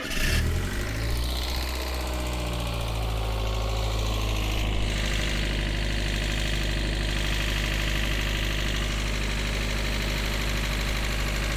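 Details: Mazda MX-5 petrol engine after coil pack, lambda sensor, MAF cleaning and bonding lead work: cranks, catches with a brief rev, settles to idle with faint uneven stumble; misfire cause still unknown, no fault code shown.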